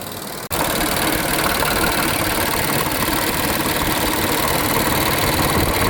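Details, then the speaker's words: 2020 Infiniti QX60, 95,882 miles, with oil consumption, after misfire repair and diesel engine flush; smooth steady idle with an even, unbroken hum and no miss or knock. "So at the moment, we're just going to resolve this misfire until a later date. And as of right now, it's working perfectly fine."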